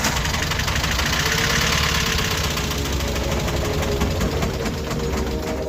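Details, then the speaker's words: Rebuilt VW Golf Mk1 engine on first start after reinstalling a part fitted wrongly that had left it without spark: it fires first time with a loose, uneven clatter for a few seconds, then dies; owner attributes it to wires not actually connected. "So every time when I start the car starts first time, but it shut itself off."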